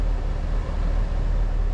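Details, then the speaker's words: K5 Blazer V8 running after a rev off fast idle, deep steady rumble with even loudness and no knocks, misses or whine; runs smoothly with nice power, though owner notes an exhaust leak tick. "She nice runs like a top. It just has nice power. And smooth."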